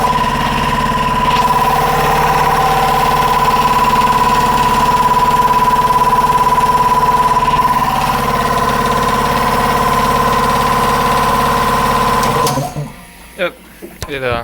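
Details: Newly built DIY 5 hp belt-driven air compressor run on 240 volts via a 110 plug: steady, even pumping thrum about three and a half beats per second with constant whine, running smoothly until the pressure switch shuts it off; small fitting leaks hiss afterward.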